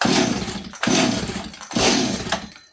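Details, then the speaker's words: 026 chainsaw after starting attempts on choke: rough pull-start cranks that never catch; owner suspects it is flooded; no start when cranking. "oh she's flooded H what do you guys think"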